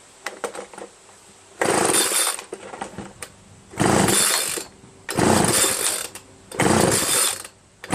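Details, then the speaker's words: Free curbside Homelite 25cc gas leaf blower that had spark and fuel: repeated short pull-cord bursts spin the engine with no pops or catching. There is no compression because the piston is badly scored. "that Pistons really scored after we have no compression"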